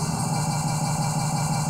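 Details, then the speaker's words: PlayStation 2 optical drive spinning and reading a disc: a steady low hum with a choppy, fluttering cutting noise and faint hiss; this replacement unit is also judged faulty. "Mas vocês já ouvem esse ruído de fundo fazendo esse corte. Eu vou demonstrar agora que essa unidade também não está ok."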